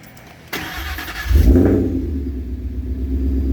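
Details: Freshly built Ford Coyote V8 engine: quick crank, fires and revs cleanly, settles to a smooth deep idle with no misses; healthy start.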